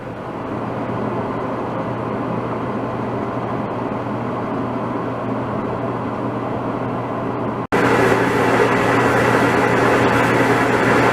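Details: DE-N35FY clothes dryer after a fix for a bad abnormal noise: belt replaced, disassembled, cleaned and oiled. Steady, even drum rumble with a smooth low hum, no squeal or scraping; running normally.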